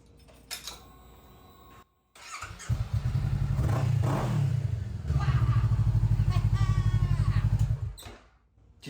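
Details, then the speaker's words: Motorcycle starting right away after a new Weize battery replaced the dead one: brief quiet, then the engine catches at once and settles into a steady, even thump at about four beats a second. "you hear that? Vroom, vroom, vroom. Yeah, she's starting right away because no more dead batteries anymore."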